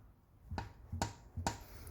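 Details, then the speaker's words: Peugeot Expert van cylinder head (suspected cambelt failure): three crisp, clean clicks about half a second apart as each good valve snaps back onto its seat, demonstrated for comparison with a bent valve; normal valve closing click. "turn the radio down and you should be able to hear a good valve from my back valve so this is what a good valve sounds like another good valve and another good valve"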